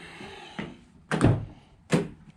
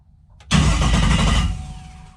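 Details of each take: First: Drag car with a new 16-volt battery system: three hard solenoid clunks about a second apart with no cranking. The starter solenoid is dropping in and out and not staying engaged. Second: Drag car with a 16-volt system after the starter solenoid was rewired to 16 volts to match: a quick, strong, deep cranking churn with no dragging. The starter spins over briskly, just like new.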